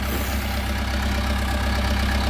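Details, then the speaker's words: 1980s Case 480E backhoe, near-new, fired up without a battery charger. It settles into a deep, steady diesel idle with no knocks or misses. "Oh, that's amazing. It just fired up. Didn't even put a battery charger on it. Nothing."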